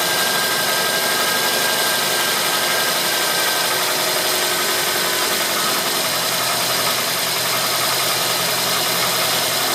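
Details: Toyota Corolla petrol engine after spark plug replacement: steady, even idle with no knocks, misses or surges; vibration reading unchanged from before the plug change.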